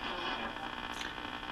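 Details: Garod M33 radio, first power-up after replacing paper capacitors: constant rough hiss and buzz with no clear station at the low end of the AM dial. The torn speaker adds noise; a shop LCD that creates white noise is unplugged.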